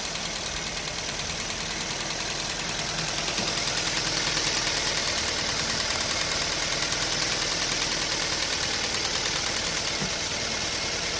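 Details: Maruti Swift running on CNG, about 2,92,000 km, idling with an uneven, chattering beat of about three pulses a second; petrol runs fine, CNG injector misfire, replacement required.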